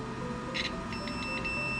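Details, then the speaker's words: Microwave stuck on; with the suspected stuck relay pulled out, a thin high continuous beep with faint chirps sounds; cause unconfirmed. "yeah you're that beeping that's stuck on that's not a good sign"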